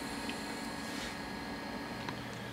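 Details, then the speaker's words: Damaged hard drive not recognized by the computer, powered and humming steadily with occasional soft ticks; the head seems unable to reach the correct position. "करती है ऐसा लगता है कि सिर सही स्थिति में नहीं आ सकता है"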